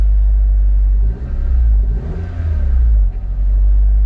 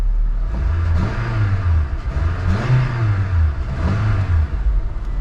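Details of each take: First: Honda Civic Del Sol: low steady drone with brief surges, around 1,500 rpm. High idle. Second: Honda Civic Del Sol at a salvage auction, engine apparently never cleaned: three smooth, clean throttle blips rise and fall evenly from idle with no knocks or misses. Normal, healthy rev.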